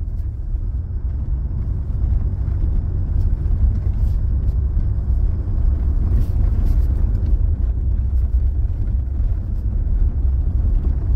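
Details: 2021 Toyota Hilux, odometer stated as 88.72 (thousand) km, driven after the steering column linkage from wheel to steering box was refitted, phone under the column: steady road rumble with no clunk, so the steering column knock is gone.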